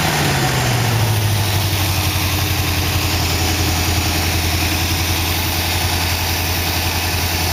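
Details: 1914 Dodge T-bucket engine warming toward thermostat opening, about 180 degrees, 40 psi oil pressure, water pump working: revs settle into a steady, even idle with a low thump, no misses or knocks; sounds good.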